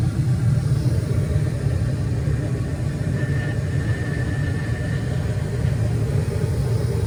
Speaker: this is everything normal and it's running good